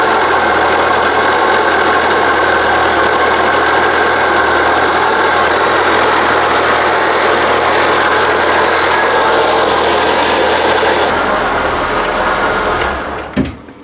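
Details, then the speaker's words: Citroën BX, hot engine at idle: thin, constant whine on top, owner unsure whether alternator or hydraulic pump, not cam belt or water pump. "It sounds all right. Uh there is a bit of a wine sound coming from either the generator or the uh the hydraulic pump."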